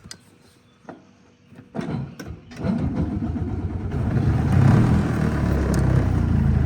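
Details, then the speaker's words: Edsel started with the choke and gas pedal: it stumbles through a few catches, then runs lumpy and surging, four-stroking and then rich with no happy medium on the choke; the owner suspects a fuel delivery issue. "It's four stroking. Then it's rich. There's like no happy medium on this choke."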